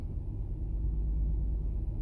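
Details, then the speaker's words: 2008 Toyota Sienna, 3.5L 2GR-FE V6: deep, uneven, lumpy stumbling rumble with excessive vibration and dash lights on; misfire with ignition coil code P0352 (cylinder 2). "all right we got some lights lit up on the dash this engine is running rough it is vibrating excessively"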